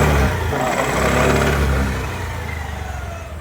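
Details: Honda Activa BS6 scooter that started but would not pick up, air filter unserviced; after servicing (air filter removed, plug cleaned) engine blips up cleanly and settles smoothly without stumbling; pickup problem fixed.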